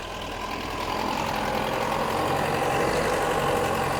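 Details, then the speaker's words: Toyota Corona XT130 with Holden Starfire engine, just started cold: chugs unevenly at idle with a coarse, shaky beat that smooths little as it settles; rough, unrefined, low-power running. "it sounds like something from the 1940s oh yeah not very much power not a very good engine"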